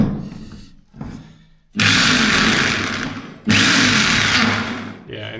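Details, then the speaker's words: DeWalt D25003K corded hammer drill with new cord: two bursts of smooth rising motor whine, no hammering rattle; won't stay in hammer mode and doesn't hammer; cause unknown. "it won't stay. And when I get it to stay, it doesn't it doesn't hammer."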